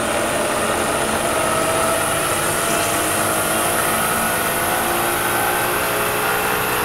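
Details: Bridgeport mill head, first run after being turned upright and oiled, at 4200 rpm: steady high-speed whir with a constant rough rattle that doesn't change, heard from one end of the head; cause undetermined.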